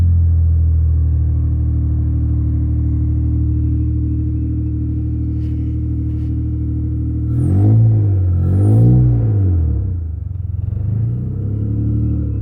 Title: v6 TL running on 3 cylinders cuz of bad injectors